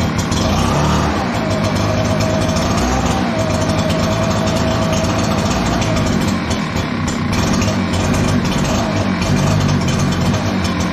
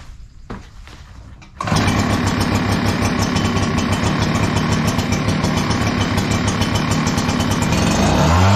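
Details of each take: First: Echo PB-9010T backpack blower, cold start: engine runs rough, sagging and surging instead of holding steady; fine when fully warm but slow to warm up, traced to a lean-running carburetor; more choke smooths it. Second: Echo PB 9010T backpack blower at 500+ hours, which ran poorly when cold, after richening the carburetor a quarter turn: starts without choke in a few pulls and holds a steady, even high-speed roar; normal cold start and run.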